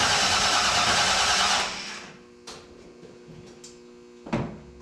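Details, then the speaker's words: Shop truck after an engine swap: the starter spins the engine evenly for under two seconds with no firing; crank no start, suspected lack of spark because the distributor power wire was unplugged from the fuse block. "well sounds like we're not getting spark"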